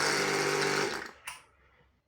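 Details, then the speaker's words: Karcher K6.500 pressure washer that hummed and would not start, after replacing capacitor, lower shaft bearing, upper shaft seal, three water seals with support rings, pump inner ring and oil; steady smooth motor and pump hum, clean switch-off; starts well, builds pressure. "все аппарат работает чётко пускается отлично дает давления"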